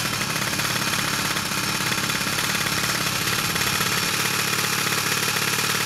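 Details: Piaggio Zip SP 70cc two-stroke (Stage6 cylinder, Malossi MHR crank, Polini Evo variator, PVL ignition, 2.5% mix) rebuilt after 15 years stored: fast crackly steady high idle, even firing, no stumble; normal running.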